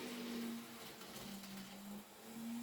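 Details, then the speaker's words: Second-hand Kato N gauge CSX locomotive, re-railed and running later on: a quiet, steady low hum with slightly wandering pitch and no high squeal; the earlier motor squeal has gone and it runs faultlessly. "But I must admit, he was running faultlessly then. Did you notice there was none of that squeal anymore?"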